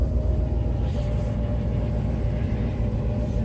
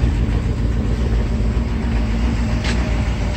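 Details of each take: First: Mercedes 380SL (1984), idle after fixing a 1500 rpm high idle via the idle controller/air control valve: low, even rumble settling to about 900 rpm with no surge or hunting; normal idle. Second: Mercedes 380SL V8 idling with a low rumble that stumbles unevenly, a misfire, after the high idle was fixed by cleaning the air control valve; exhaust problems also noted, hoses old and cracked.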